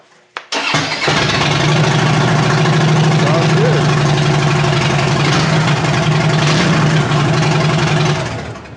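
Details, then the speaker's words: 2007 Harley-Davidson Dyna Street Bob after starter replacement (old starter intermittently lagged): quick strong crank, catches within a second and settles into a lumpy V-twin idle. Normal starter cranking. "oh yeah it sounds pretty good so that sounded pretty good let's try it one more time"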